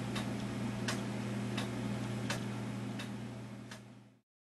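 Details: Gilbert 1913 count-wheel clock: crisp ticks land evenly about every 0.7 seconds over a low mains hum; the clock is in beat.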